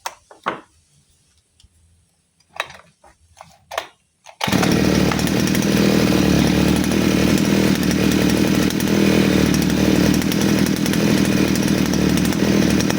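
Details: Side-mounted brush cutter with carburettor mixture screw deliberately loosened as an over-rich example, nylon-line setup: after handling knocks it runs a steady, dull, blubbery drone without crispness; very fuel-hungry and powerless.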